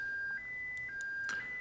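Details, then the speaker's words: Racal Jaguar-U (BCC-72) military UHF aircraft transceiver, 1993 new old stock, switched into hop mode: steady high tone near 1.6 kHz stepping briefly higher; the radio protests because frequency hopping is not programmed. "This is a hop mode. As you can hear, the radio is protesting here. That's because hopping is not programmed."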